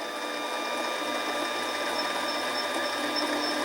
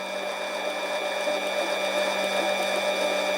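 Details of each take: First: Harbor Freight 7x10 mini lathe turning a rough aluminum tube: quick, regular tapping about three times a second over the lathe hum as the cutter hits an open gap each turn; interrupted cut until the surface cleans up. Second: Harbor Freight 7x10 mini lathe turning aluminum tube: steady motor whine with even hiss of the bit cutting continuously, no chatter or interruptions after earlier interrupted cuts over a dented spot; smooth continuous cut.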